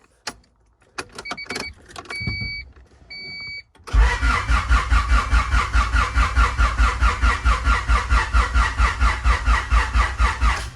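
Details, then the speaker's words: Fresh-build Honda H22 in CB7, injectors and distributor disconnected, cranking to build oil pressure: long steady starter cranking about two beats a second, pace easing as battery runs low; slow cranking from weak battery, jumpers needed. "Sounds like it's about to not have enough juice. Oh, all right, let's get some jumpers on her."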